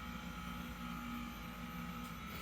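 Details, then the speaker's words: 2022 Ram 1500 air suspension in entry/exit mode, engine off: steady airy hiss over a faint hum as air bleeds out, lowering about four inches, bumper from 11.5 to 6.5 in; normal lowering. "hear that noise that's it lower in the back and then it lowers the front it kind of staggers now the front's going down again it's it's significant according to the manual it's uh four inches it's dropping right now"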